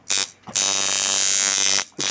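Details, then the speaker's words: Coil tattoo machine with the same spring setup and same-brand coils at full 10 W, sounding just like the owner's: loud, steady high-pitched electric buzz in short on-off runs, running as it should. "his are just full 10 W not stilled but his sounds just like mine"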